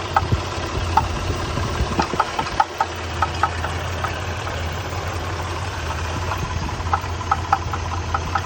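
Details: 1993 Nissan Pathfinder at idle: steady low idle with sharp, uneven ticks and knocks, a few each second; engine knocking.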